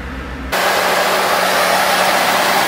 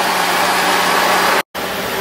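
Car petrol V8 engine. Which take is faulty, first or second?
first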